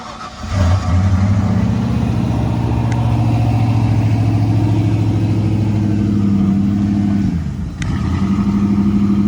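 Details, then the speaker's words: 1994 Ford Bronco Eddie Bauer with a reportedly rebuilt 5.0 V8 and new AC compressor, at startup: a steady low rumble that briefly dips and stumbles before recovering; a short stutter that the AC being on might explain. "just had like a little stutter. That could be the AC on though."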